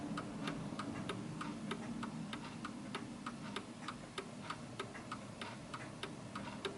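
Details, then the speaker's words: 1940s Hermle (FHS) 8-day Art Deco chiming clock after the beat is adjusted: crisp, evenly spaced tick-tock about three ticks a second, clock back in beat. "and notice that the ticking is back to normal"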